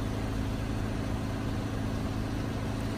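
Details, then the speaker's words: Car engine idling smoothly with a steady low hum and no knocks, misses or squeals right after a jump start from a Clore JNC770R Jump N Carry on a dead battery; the car shows it is charging normally. "That worked really well. And it's showing that the car is charging. That's pretty nifty."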